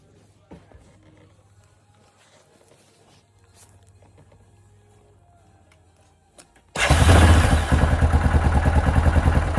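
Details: Yamaha Kodiak ATV after carburetor removed and clogged jet cleared with a fine wire (it had run out of gas): silence, then fires and settles into strong even thumping run; normal running after fix.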